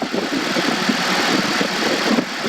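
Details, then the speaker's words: 2014 Honda CR-V EX, 2.4L four-cylinder, 5-speed automatic, after a spark plug change with the A/C on: smooth, even idle with steady hiss and no stumbles; AC clutch may engage; running good. "So it runs good. Got the air conditioner on, so you might hear that clutch turn on."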